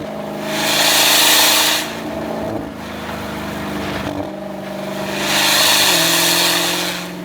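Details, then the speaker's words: Dodge Demon 170 accelerating from 0 to 20: loud hissing roar over the engine note rising with revs, seeming not to come from behind; damaged exhaust system and failed catalytic converters later replaced; exhaust system fault under acceleration. "You hear this crazy sound and it doesn't sound like coming from behind you."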